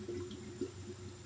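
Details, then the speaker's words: 2004 Honda CRF250X leak-down test, engine off, air through spark plug hole: irregular oil-bubbling gurgle about every half second, 15% leakage past the piston rings; slight leak at intake, nothing at exhaust; air filter previously mis-seated, valves possibly damaged. "i can hear oil bubbling right now and i'm at 15 percent off coming through the rings i don't hear anything a little bit on the intake nothing on the exhaust"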